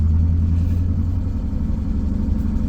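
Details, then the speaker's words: BMW E39 M5, S62 V8, unrun over a year, dirty fuel, first start after priming the fuel pump: cold idle with fast light ticking over deep rumble, quieting down; owner suspects lifter tick. "it's ticking so bad. That's so bad. I'm sorry. It's quieting down, it's quieting down, it's quieting down. I want to make sure it's lifter tick before anything,"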